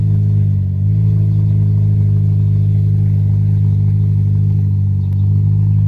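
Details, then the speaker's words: 2003 Honda Element with its catalytic converter stolen: deep, loud, raw exhaust drone that rises with the revs and has no muffling; catalytic converter missing, awaiting replacement. "You want to hear what a Honda sounds like without a catalytic converter? There you go."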